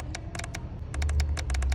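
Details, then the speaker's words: 2003 Chevrolet Silverado with P0455 large EVAP leak code: purge valve bench-tested by jumping it to the battery, giving sharp, crisp clicks in quick bunches over a low hum each time powered; valve working fine. "If I hear a clicking sound, that means this push valve is working fine. There's no issues with it."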